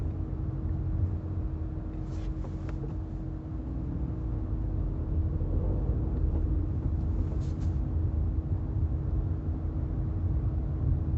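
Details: Chevrolet Camaro ZLE brake noise: a steady low hum, roughly 300 Hz, holds over the road rumble throughout; cause not identified.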